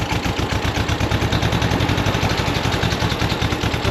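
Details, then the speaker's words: 1965 VW Beetle convertible engine, low on power: lumpy, uneven idle with a stumbling beat, not running on all four cylinders; misfire from low compression, one cylinder around 90 against 104 on the good side, engine must come out. "Well, don't see doesn't seem like it's running on all four cylinders here."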